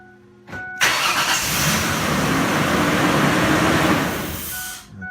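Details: 2004 Ford Explorer 4.0L V6 with an intake still partly apart, after a carboned throttle body was cleaned and a cam reset done: short crank, then it catches right away and settles into a steady, even idle with no stumble; healthy start.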